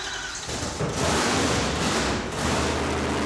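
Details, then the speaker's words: Supercharged Hemi V8 in a '55 Chevy, with a new blower and throttle body spacer, on a wide-open-throttle dyno pull: loud rough roar with a steady blower whine and no knocks or misses. Normal running under load. "so yeah she's happy this car has never made that much power"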